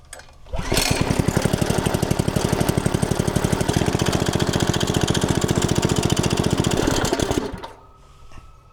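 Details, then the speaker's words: Log splitter small engine, long unused, fresh gas: steady slightly uneven chug about seven seconds then cuts out abruptly, dies when throttle is raised; clogged carburetor jet starving fuel. "so it will crank but you bring the throttle up and it dies"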